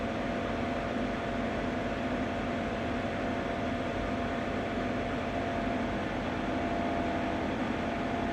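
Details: Ninja Foodi 8-in-1 running cold in this recording (owner says the unbearable noise comes after warming up): unbroken even fan rush with a faint steady hum, no knocking; loud running noise, cause not identified.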